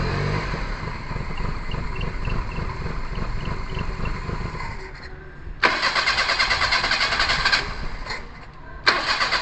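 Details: Perodua Kancil after a carburettor change: starter churns for several seconds, stops, then cranks again in bursts without catching, a long crank with no start. Owner suspects timing needs adjusting, possibly valves, and checks whether fuel sprays into the carburettor while cranking.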